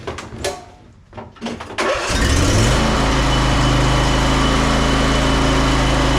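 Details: Ariens 20 hp riding mower, Briggs & Stratton V-twin, after repair of a no-start with no click or power: a few cranking turns, then it fires and settles into a steady, even idle with no misses or knocks; back to normal running.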